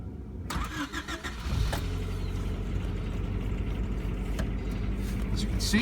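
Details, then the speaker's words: 1993 Honda Civic CX hatchback, stock, 122,000 miles with 2,500 on a rebuilt 1493 cc engine, 5-speed manual: brief crank, then a cold start that catches firmly and settles into a smooth, even idle, with no warning lights; normal healthy cold start. "That was a cold start, and you could hear the authority with which she started."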